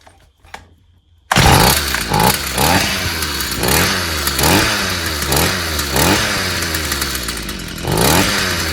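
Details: Stihl FS 55 brushcutter that wouldn't start or kept dying despite new plug and carburetor, after clearing a clogged exhaust: fires after a pull, rasping two-stroke run with throttle blips, pulling cleanly; runs fine.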